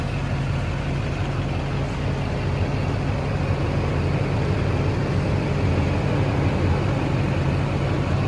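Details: 2006 Chevy Silverado 3500 4x4, 6.6 Duramax diesel, 25k miles, serviced: just started, deep, smooth, steady idle rumble with no knocks, ticks or misses; very quiet, healthy idle.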